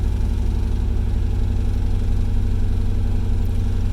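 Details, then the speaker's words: Worn third-gen Camaro V8 at idle: a lumpy, uneven, stumbling beat, a misfire suspected from bad plugs and wires, an ignition system fault or a dead cylinder; the fuel gauge also read low. "hear how rough that idle sounds that's a misfire that can be bad plugs and wires uh could be an issue with the ignition system could just be a dead cylinder"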